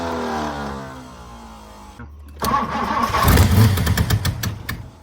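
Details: 1964 Ford Thunderbird, 390 FE big block, sat for decades: starter cranks steadily then ragged coughing bursts that never catch; cranks but won't start, fuel pouring from carb, owner suspects stuck floats.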